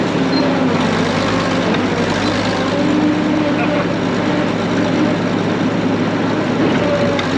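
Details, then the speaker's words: Main diesel of a late-1940s to early-1950s Caterpillar D6 cable dozer, barn find, started via the pony motor after throwing decompression, crawling in gear under light load: steady even chugging, no knocks or misses. Normal running. "this should start there you go that started we're moving"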